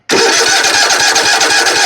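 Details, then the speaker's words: Zero-turn mower, 96.5 hours, wouldn't start after running out of gas; leaking customer-fitted fuel shut-off valve pulled air. Cranking after blowing air into tank: quick even pulses go straight into firm steady run, starts cleanly. "Let's crank it over and see if she'll start sucking fuel."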